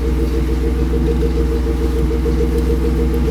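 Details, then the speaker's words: BMW E36 idling after jump start, alternator charging check (should read over 14 V): steady even low rumble, no ticks, knocks or whine; alternator found charging fine, owner suspects the three-year-old Halfords battery behind the no-start. "Okay, so that's started up now. Sorry if it's a bit loud, but we're going to check to see if the alternator is now working."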